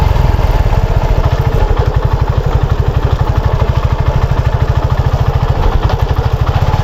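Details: Motorcycle chain while riding, noise most noticeable at medium speed: steady quick knocking ticking each pass under the drive noise; worn, loose chain master link (chain lock), to be replaced.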